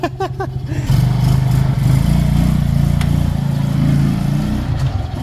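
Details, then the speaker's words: Restored motorcycle being warmed up briefly on handover test ride: deep, even engine drone steady under light throttle, no knocks or rattles; normal running. "Painitin mo lang bahagya Sir. Yan, tahimik na tahimik yung akin oh."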